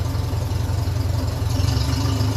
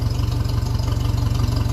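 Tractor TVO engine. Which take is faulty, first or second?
second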